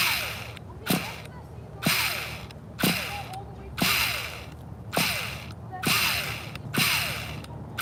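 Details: 2002 Tamiya Terra Crusher 1/8 nitro monster truck in very cold conditions, refuelled: starter whirs in bursts about once a second with a ratcheting slip; engine barely turns because the starter one-way bearing is slipping.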